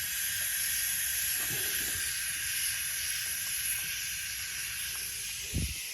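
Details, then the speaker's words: BMW F10 N55 engine leak-down test at 100 psi, crank held with breaker bar: steady faint air hiss on cylinder one, reading 93–94, called 95%, leakage barely felt; healthy cylinder. "actually that's going up to 94. so it's really hard i have to actually like put my face in it to feel with only this much leakage and literally i stick my nose in here and you can just barely feel the air pushing by that's not a lot of leakage to be able to really detect"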